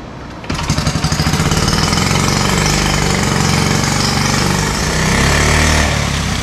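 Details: Honda Z50 minibike single-cylinder after carburetor boiled clean and rebuilt: catches and settles into a fast, steady popping run, even and strong, though leaking at the carburetor base.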